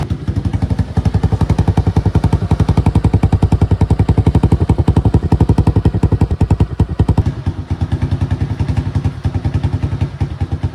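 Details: Suzuki Access scooter before repair, silencer rusted through with many holes: loud, raw single-cylinder putt-putt at steady idle with no muffling; exhaust leak.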